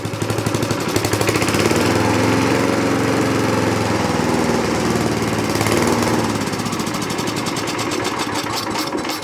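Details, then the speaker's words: 1960s Roof push mower, starts on first pull, revved up without air cleaner: revs, holds briefly, then speed sags and it stalls; owner suspects too lean from missing air cleaner, unconfirmed. "and it died. Let's go. Make sure it still runs. Fire back up again. The only thing I think of is it that it um doesn't have the air cleaner on it and it's too lean."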